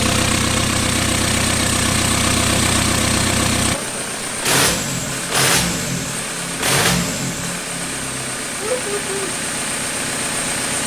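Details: 1991 Toyota pickup with swapped 1.9 L ALH TDI turbo diesel from a 2000 VW Jetta, first start; pump timing and IQ not yet adjusted. Diesel clatter settling into an even idle after starting, no misses or knocks; smooth and healthy.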